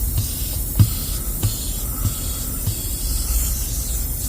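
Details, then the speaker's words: 2014 Golf GTI Performance on a test drive after a water pump replacement: a loud continuous hiss of air escaping fast from the tyre after the owner tried removing a screw from it, with a faint rumble behind. "uh had a screw which I thought I'll try to take it out um but yeah that is uh Tire kot"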